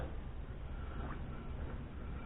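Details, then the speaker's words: 1995 Dodge Caravan rear wheel, hand-spun after bearing replacement: smooth, even low whir with no grinding, clicking or play, a healthy new bearing. "what a bearing's supposed to sound like. No play."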